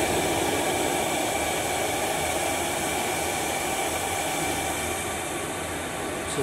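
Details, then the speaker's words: Diesel heater on 100% biodiesel, about 3 minutes in, warming up with the glow plug off: steady roaring fan and burner rush with no sputter, surging or dropouts. It is sustaining combustion normally. "3 minutes in and it's definitely warming up the glow plugs off so the unit is uh sustaining itself and it is firing up initially and it's sustaining itself on 100% biodiesel"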